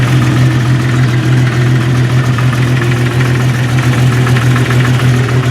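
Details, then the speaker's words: 1989 Jeep YJ at idle after exhaust system replacement: steady, smooth low hum with no leaks up front and no rattles or noises underneath, with a trash truck audible nearby. Now much quieter, normal. "Much quieter. If you remember back at the beginning of the video how noisy this was. So, no leaks up here. Seems to be all coming out of the exhaust back here."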